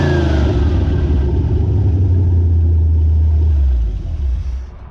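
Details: Dodge W100 4x4 with swapped-in 360 V8 from a D100, first start after swap on temporary fuel tank with ballast resistor jumped: deep rumble steady under revs then winding down smoothly, no knocks or misses; sounds healthy.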